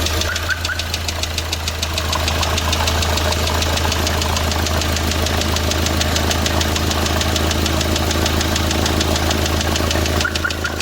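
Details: D4CB diesel engine knocking after break-in: steady diesel idle with a sharp regular knock about three times a second over the clatter; internal engine knock, cause unconfirmed.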